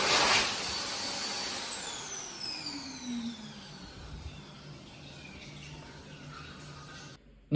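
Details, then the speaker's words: Healthy U2 hand dryer built in 2019, recorded in 2022 after over 2 years in service. High motor whine sweeps smoothly down in pitch as it coasts to a stop, even and rattle-free. Normal run and shutdown. "next we'll look at another healthy U2 which was built in 2019 this video was filmed in 2022 but the dry still been in service for over 2 years at this point and still sounds just as healthy to this day"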